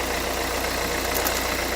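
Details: 2011 Renault Kangoo 1.5 dCi 86 hp, under 100,000 km, Delphi injection pump, hard starting: steady diesel idle with busy rattly clatter on top, pointing to noisy injection pump; preheat relay checked good, glow plugs and primer bulb replaced.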